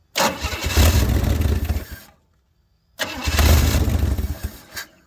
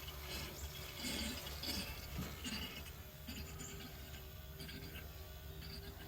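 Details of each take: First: 1964 Chevy Bel Air, long sitting, first start after getting fuel flowing to the filter: fires twice, loud and raw for about two seconds each before dying; loud because the exhaust pipe ends short. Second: 1964 Chevy Bel Air with the key on: soft trickling, gurgling hiss over a buzzing electric fuel pump, as fuel flows through the inline filter and fills the carburetor float bowl normally.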